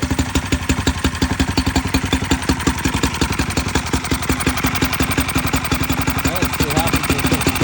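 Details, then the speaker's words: Mercury outboard revived after sitting: crisp, even firing at a steady fast pace with no misses or knocks. Running normally. "Le Merk tourne ."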